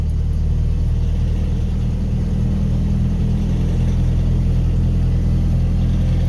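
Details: Pickup after reconnecting MAP sensor to a different port, previously idling rough with a code: steady, even low idle with no stumble or hunting.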